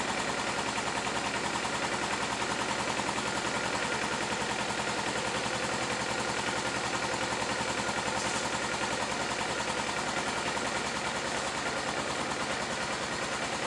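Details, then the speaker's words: 2011 Kawasaki Ninja 250 twin, started with a jump pack, idling only on choke and dying with choke off; a fast uneven pulse about three a second that stumbles; rough idle from dirty carburetors that need cleaning. "after hearing the bike run on choke we can assess that the carburetors need to be cleaned to get to them we're going to have to remove the tank and the fairings"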